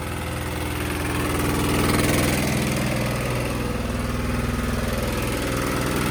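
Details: Sykes GP80 water pump, Lister TR1 single-cylinder diesel, cheap auction buy, first run: steady even thump with plenty of clatter, something rattling on the floor, holding speed without misses; normal idle, charging at 14 V.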